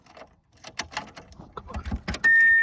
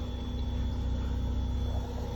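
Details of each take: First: 1997 Subaru Outback, 230k miles, died with oil light, rock auto fuel pump fitted weeks before: five chime beeps, then the starter cranks steadily without catching; cranks but not fueling, pump suspected. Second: 1997 Subaru Outback after repairing a split fuel line and zip-tying the fuel pump back to its assembly: a low, steady rumble with some fuel gurgling audible; it now runs smoothly.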